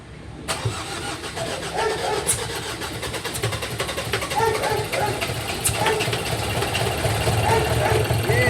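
Starter churns the diesel at an even beat of roughly three to four compressions a second, but it never catches and runs.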